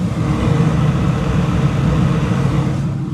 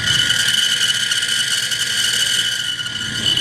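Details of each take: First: Gas furnace / package unit draft inducer after replacing a rusted inducer wheel that caused grinding and screaming; steady, even low hum with no rattle or scrape. After repair, running smoothly. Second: Gas furnace/package unit inducer motor: harsh, high-pitched scream with constant gritty grinding; rusted inducer motor wheel failing, fixed by replacing the inducer.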